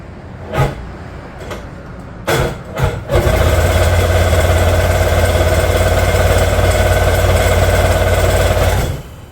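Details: Old jet ski that sat for years, parts cleaned and regasketed; several short cranking bursts, then a brief low run that cuts out and won't keep running. It turns over hard, and owner suspects valve adjustment or timing.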